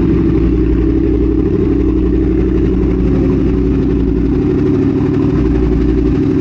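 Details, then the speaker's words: 2022 Triumph Speed Twin 1200 with British Customs X-pipe, newly fitted Cone Engineering shorty mufflers, custom tune: deep, loud, lumpy twin burble with heavy low-end thump; minimally baffled mufflers, almost too loud. "with the x-pipe that's almost too loud"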